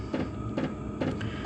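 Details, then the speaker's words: 5kW MaxPeedingRods diesel heater set to 20°C in the workshop, cut back and ticking over: crisp, even ticks a bit over twice a second above a soft fan hum. This is normal fuel pump clicking, louder through the camera than in person. "You can hear that click really loud through the camera, but it's not that bad when you actually hear it. You can hear it clicking, but it's not annoying, if you want to call it that."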